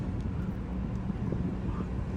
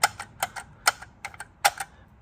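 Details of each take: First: 2017 Lexus LX570 driving below 40 mph after replacing loose starfish wheel center caps with solid caps: only low road hum and light wind, previous rattle gone. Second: 2017 Lexus LX570 driving below 40 mph: light, irregular metallic clicks with no steady rhythm. Loose starfish wheel center caps rattling, no broken clips; fixed by fitting smaller solid caps.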